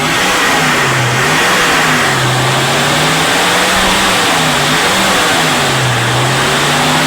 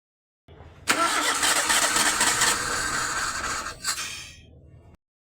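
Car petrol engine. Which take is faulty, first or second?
second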